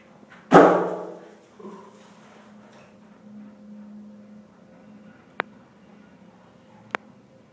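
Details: Building condenser water loop with cooling tower, surging and stalling pumps: one heavy bang then sharp ticks over a faint hum as a sprinkler pipe near the condenser pipes bangs in the ceiling; condenser loop suspected of sucking air or cavitating.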